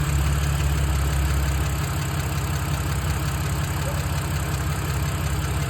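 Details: 2007 BMW 328i E90 with N52 engine at idle: light fairly quick tick over engine note; owner suspects lifter tick but asks whether early rod knock; cause unconfirmed.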